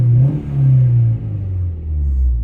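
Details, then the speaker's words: Opel Astra H, warmed up, after refitting the original ignition coil and clearing fault codes: engine swings up and back down twice, clean and even, no stumble; misfire gone, check engine light off. "І машинка класно працює. Мотор прям топ. Троїння нема. Бачите, як набирає оберти?"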